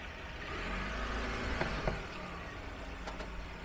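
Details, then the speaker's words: Citroen C4L, mic on the hub side, car moving slowly with steering turned about 50 to 60 degrees: a few dull knocks over low road noise, heard only when turned. CV joint suspected. "I put this wheat on the hub side and it sounds very obvious. Come and go Cuckle, Cuckle, Cuckle"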